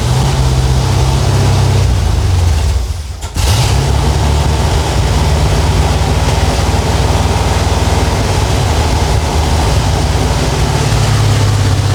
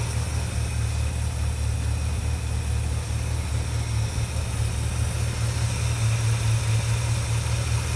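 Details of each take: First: 1967 Dodge Charger 383 V8, first start in 15 years after new fuel filter and lines: stumbles briefly, then settles to a heavy, uneven lope that never evens out; vacuum leak from a carb base plate that was too wide. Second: 1967 Dodge Charger 383 V8, off the road 15 years, after replacing a leaking carb base plate: deep, steady idle with even low rumble and no miss, knock or tick; running clean.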